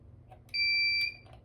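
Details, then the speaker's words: Radionics D6112 alarm panel sounder giving one shrill half-second beep, a pulse of the pulsed bell output from a zone programmed as fire; the panel has no true fire-alarm type, so central station just gets a zone alarm. "So the interesting thing about these panels as well, fire alarms, you actually just program a zone to have a pulsed bell output. It doesn't actually do fire alarms."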